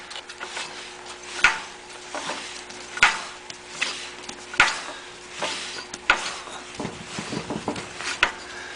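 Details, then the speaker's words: Briggs & Stratton ZH engine after repairs, with spark and compression, turned slowly by hand: one sharp clack about every 1.5 seconds, a definite internal knock; cause unknown, owner plans to pull the head to check. "it does have spark see that but you can hear that there's a kind of a knock"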